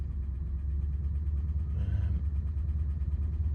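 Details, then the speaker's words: Rolls-Royce on driveway while trying to replicate a fault from the last journey (headlights on): deep low rumble at idle with an uneven, lumpy pulse and irregular beat; rough idle, cause unconfirmed. "She really is quite lumpy."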